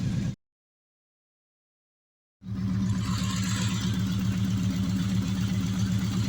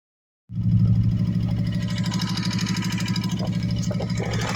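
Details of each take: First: 2014 Kawasaki Mule Vaquero UTV just started after replacing the front four lifters: steady low idle thrum with zero lifter tick. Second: 2014 Kawasaki Vaquero side-by-side engine before repair: it catches and idles with a light fast lifter tick riding over a low rumble; replacing the front four lifters eliminated the ticking.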